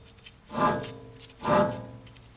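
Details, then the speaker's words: Toyota 4Runner 2WD front wheel hub bearing, spun by hand with rotor off: rough, gritty growl rising and fading about once a second, plus earlier play at 12/6 and 9/3 and a squeak and grind; the bearing is shot. "okay there's the bearing you can hear how bad it"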